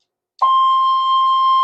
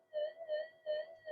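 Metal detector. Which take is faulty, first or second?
second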